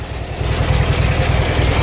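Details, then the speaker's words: Junkyard Briggs & Stratton opposed-twin engine, revived, idling on both cylinders: deep lumpy idle with a gritty churning roughness under the firing beat; owner suspects the attached transmission, source unconfirmed. "grinding the weird roughness you hear i think is either the poise of the transmission which i'm not all that concerned about"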